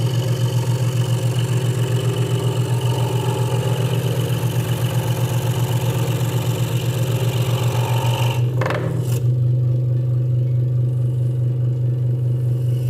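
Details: Hegner Multicut 2S scroll saw cutting wood after the blade protector was moved back to stop a rattle: a fast, even reciprocating chatter over a steady low buzz with no loose rattle; the saw is cutting smoothly and normally.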